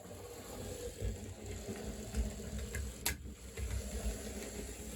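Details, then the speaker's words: Fleischmann HO scale switcher tested after new traction tires, running as it did when acquired: low, busy gear whir with scattered light clicks and rattles at a steady pace; a little noisy but normal drive. "Which, as you can see, it's a little bit noisy. It's exactly how it runs as I got it, except now the thing has some new traction tires."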